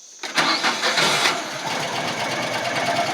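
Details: 2014 Landmaster LM650 UTV, battery recently run weak: brief cranking, then the engine catches within half a second and settles into an even idle, starting cleanly cold without choke.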